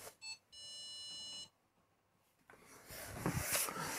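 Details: Whirlpool 6th Sense PowerClean WFC3C24PX dishwasher, about two minutes into the cycle: a couple of quick chirps then a steady one-second beep with red tap logo; no water entering, owner suspects water-stop valve, pump heard running.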